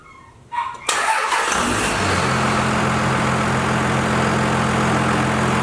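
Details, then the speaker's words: Cummins diesel truck first start-up after belt-drive work to cure an annoying squeak: cranks, catches and settles into a steady, even idle with no squeal or chirp; squeaking noise gone, sounds healthy. "Awesome, no more squeaking noise. So as you guys saw, no more squeaking noise."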